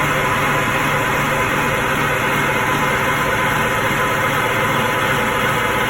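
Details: Twin Detroit Diesel 6-71 TBI marine engines (Johnson and Towers), running again after 2.5 days of work on a non-running boat: steady diesel drone, low hum near 150 Hz, no misses or knocks; sounds good, no water, though it doesn't seem to hold its own idle.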